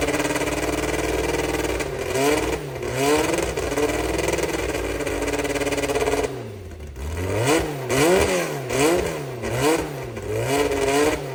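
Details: Brabham BT21 historic one-litre F3 race engine, first cold fire-up after rebuild (new crank, balanced conrods, new sump): crisp blips rise and fall cleanly over steady even idle, no knocks; oil pressure good, normal start and run.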